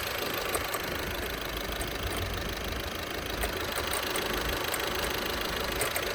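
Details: VW 1.6 TDI (Touran/Golf/Polo) diesel at steady idle: light ticking rattle about four per second from a worn accessory belt tensioner pulley.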